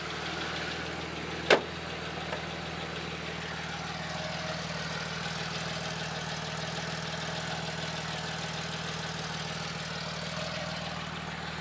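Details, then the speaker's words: 1977 Porsche 911S Targa during a pre-purchase inspection in Oregon; quiet, smooth idle at steady, correct speed with no ticking, knocking or hunting, revs up without hesitation. Normal idle. "Bah, pas grand chose à signaler, hein. Il est vraiment régulier, au niveau qui semble être le bon, hein. Ni trop haut ni trop bas."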